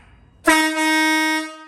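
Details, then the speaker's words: Monster truck air horn with the big horn refitted after the smaller horn of the pair broke: one loud, steady, deep blast of about a second, clean and even in pitch, like a proper truck horn; normal air horn. "Yeah, that's way better. It's like a proper truck horn, that is. Honk, honk."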